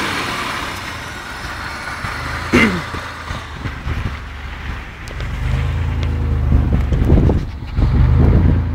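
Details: 1994 Isuzu Trooper: engine revs unevenly with a stumbling, lumpy beat and dropped pulses as it climbs. Engine misfire.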